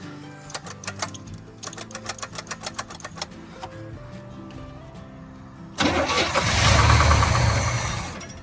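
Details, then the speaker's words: 1972 Chevy C10 402 big block, sat about 30 years after 1997 flood, old oil, fuel poured into carb: steady rhythmic cranking about four turns a second with no firing, then a short burst; suspected fuel starvation, possibly clogged carb filter. "Come on, you can come to life now. Come on. Okay, starving for fuel."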